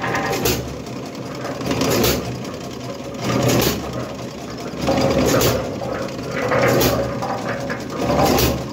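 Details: Restored small petrol engine reinstalled on a cement mixer, drive chain off so running off load: chugs along steadily, volume swelling gently every second or so, no knocks; running fine.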